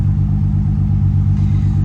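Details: 2007 BMW E92 335i idling after clearing codes, cylinder 5 misfire that began after a hard pull: low, lumpy idle with a repeating stumble; check engine light returned immediately; cause found to be a failed ignition coil.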